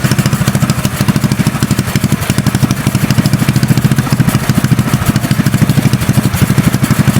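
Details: Custom mini bike trike small single-cylinder engine warming up without choke: steady even putter at idle, no stumbles or knocks; running smoothly.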